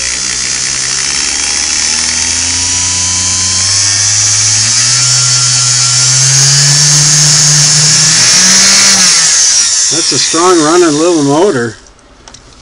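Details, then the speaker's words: Singer Model 99K sewing machine motor running after cleaning and adjusting the foot controller: smooth whine climbing evenly in pitch with the pedal, no grinding or knocking, then winding down; motor runs fine. "there is the motor turning and I can you hear that or see it"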